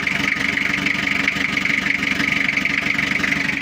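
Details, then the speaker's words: Toyota Kijang diesel just started after cylinder-head rework, glow plugs installed, cover off, cold before warm-up: steady, light regular idle clatter, no misses or knocks; already sounds good. "suaranya udah kelihatan meskipun baru hidup suaranya sudah kelihatan e enak"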